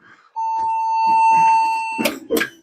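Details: Vintage desktop PC with an unknown hard drive: at power-on it gives one long continuous POST error beep instead of booting.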